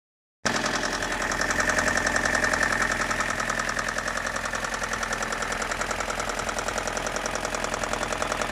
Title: m42 knocking noise need help please